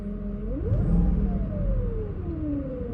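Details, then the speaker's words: 2006 Mercedes-Benz SL500 (R230), ABC suspension, revved: clear whine rising and falling with revs over the engine rumble, changes slightly when steering; power steering pump ruled out, another pulley-driven part suspected. "There is something causing a high-pitched tone or noise that is harmonious with the acceleration."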